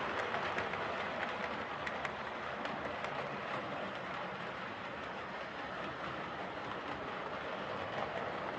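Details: Hornby R2553 Princess Coronation Class "City of Bristol" model locomotive after repair of mangled rods and noise issues: even, steady rolling rumble with light rhythmic track clicking, no stalls or stutters; normal running.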